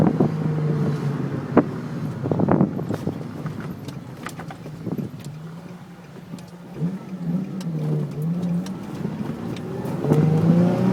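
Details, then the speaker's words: Nissan 350Z after rear end links were replaced with Whiteline versions to fix a creak: car rolls over small bumps with only road and tyre noise, no creaking or squeaking from the rear; fixed. "Well, no more creaks. I'm glad it works."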